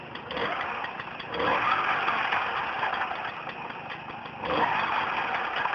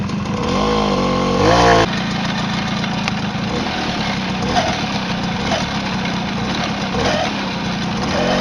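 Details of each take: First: Turorial on how to fix your Tomos clutch rattle noise. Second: Tomos two-stroke moped idling evenly with a few quick throttle blips and no rattle from the clutch side.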